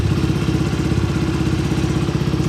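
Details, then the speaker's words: Suzuki V-Strom 250 SX idling right after an oil change (filter, seal and drain gasket replaced): an even, steady idle with a smooth regular beat and no knocks or rattles. It sounds healthy. "Aman? Sudah bunyi? Mesin juga sudah langsam."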